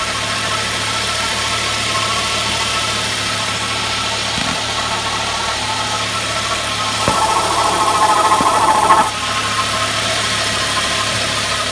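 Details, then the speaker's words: Ford Mondeo Mk3 idling: a steady high whine over the engine, first thought to be the alternator, traced by screwdriver stethoscope to the air conditioning compressor, judged worn and due for replacement. "i can really hear it riding so i'm pretty sure that the air conditioning pump's buggered"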